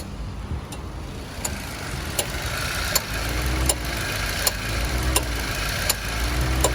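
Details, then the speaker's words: Car idling with air conditioning on: sharp clicks about every three-quarters of a second as the compressor cycles on and off over an unstable idle rpm; faulty idle speed control step not raising idle for AC load. "Okey, kita boleh nampak RPM kereta ni tak stable macam ni ah. On aircond."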